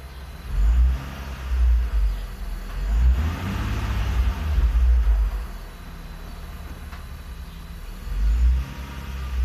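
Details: Infiniti G35 engine warmed up, revved in bursts: whine rising and falling with engine speed, unchanged with clutch in or out and still present with both accessory belts removed.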